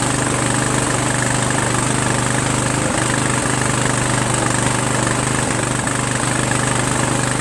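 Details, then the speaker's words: Sabre by John Deere lawn tractor with a repowered single-cylinder engine and a swapped carburetor, at first start in neutral; steady idle near 214 pulses a minute with an uneven chuff while the breather dumps residue; teardown found a blown head gasket. "If you look at the breather took a dump. So either it was just cleaning it up, right, with stuff that was in there from a long time ago, and it needs to breathe better and clear out the stuff. As you can see, there's a lot of stuff in there. Or my head gasket's blown."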